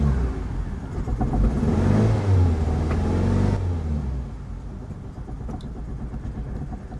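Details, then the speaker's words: Ford Mondeo Mk3 with P0301/P0304 misfire codes and carbon-fouled plugs, just fitted with four new spark plugs: in neutral it catches, flares, then idles unevenly, misfiring and cutting out, yet no check engine light or codes. "it sounds awful but curiously there's no check engine light that's definitely misfiring yeah and it's cut out"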